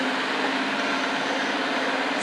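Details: Eufy RoboVac 30C after removing debris from the suction fan and securing a rattling board: a steady, coarse whirring hum with a fixed low drone. Three beeps still signal a stuck suction fan; the fan is damaged and running rough.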